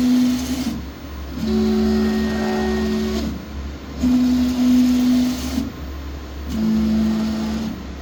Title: Y axis abnormal vibration sound